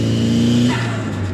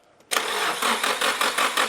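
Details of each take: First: Restored Nissan 180SX with new tune, on its first drive: a clean rev holds a steady pitch, then falls away smoothly without misses or knocks; sounds healthy. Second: Nissan 180SX, primed with fresh fuel: starter turns about three seconds with uneven chuffs and never catches; aftermarket loom running Audi R8/Lamborghini/VW coils fires cylinders in the wrong order, cranking backwards on itself.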